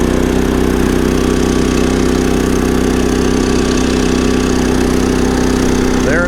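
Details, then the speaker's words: Champion 3400 dual fuel inverter generator, just after a mini tune-up with a new spark plug and an oil check, choke out: it starts right up and settles into a steady even drone with no misses, knocks or surging. Normal running. "it is, so it cranked right up."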